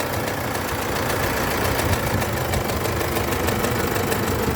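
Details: Isuzu D-Max 4JJ1 diesel at idle with a steady deep knock roughly three to four times a second; main bearing knock caused by a broken crankshaft main bearing cap.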